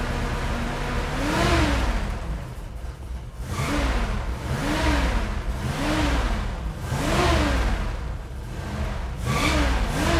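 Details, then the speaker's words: Classic carbureted car with mild cam, electronic ignition and accelerator pump confirmed working: revs surge and sag every couple of seconds, never settling to idle, with gas-smelling smoke. Suspected carburetor idle circuit fault and possibly the power valve. "tells me that we probably have a carburetor problem on the idle circuit"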